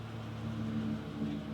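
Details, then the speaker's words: 2015 Chevy Silverado gas Vortec, after repair of a starting knock reported following an oil service, battery reconnected: quiet, even engine hum with no rattles or knocks as the truck backs out; normal running. "No noises. Well, except for gas engine noises, Chevy Vortec noises. Other than that, there's nothing out of line here. This truck is good to go."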